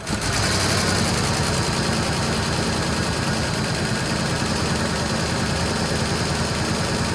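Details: Fox Body Mustang V8, just started on a jump box after sitting, runs with a busy, uneven idle chatter that slowly steadies; no smoke, owner says it doesn't sound great up front, possibly a dropped felt.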